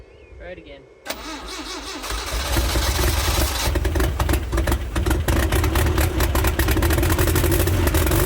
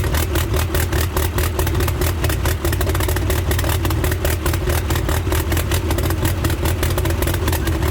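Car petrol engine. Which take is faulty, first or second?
first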